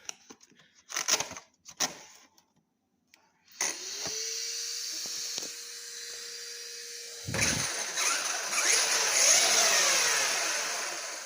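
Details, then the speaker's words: 2010 Serpent SRX8 (811) truggy after rebuild with upgraded gears, standard rear diff internals: motor spins up to a steady, clean whirr, then revs higher with no grinding or clicking; smoothest it has sounded, smooth drivetrain. "man, that sounds smooth, guys. That's the smoothest this thing has ever sounded, to be real honest."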